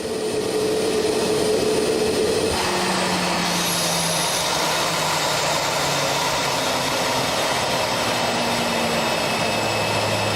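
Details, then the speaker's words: CFM LEAP-1A turbofan engine during its shutdown sequence on the ground: a whistle cuts out and a rising rush of pressurized air follows as it winds down, caused by the variable stator vanes opening and the variable bleed valves closing; normal, and the engine is serviceable. "This noise is due to the opening of the variable stator vanes, also called VSVs, and the closure of the variable bleed valves, known as VBVs. This noise is normal. The engine is serviceable."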